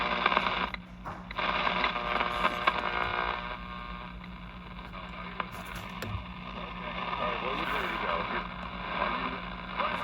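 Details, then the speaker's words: Arvin 257T tube radio after repair, some glass tubes replaced with metal tubes, tuned to 117 with few local stations: hissing static with faint wavering station drifting in and out; receiving normally but weak. "At 117 what's there? I don't have many stations around here to As you can see it's trying to pick something up."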